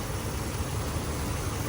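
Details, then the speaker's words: 2005 Ram Hemi, 155,000 miles, 20 years old, just after a DIY water pump replacement with belt and idlers reinstalled: smooth, even low idle with no ticks, squeals or rattles from the belt-driven accessories; engine sounds healthy and quiet. "Listen to that cream puff. Guys, listen to how quiet this engine is."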